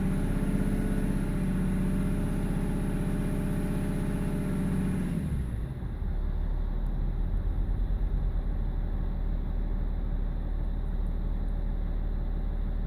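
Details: BMW E46 330d M Sport diesel with lumpy idle and judder around 1500 rpm; INPA shows injector 6 needs changing ASAP, injectors 1, 2 and 4 also off: revs drop to idle, then lumpy, uneven pulsing low note; rough idle from a failing injector.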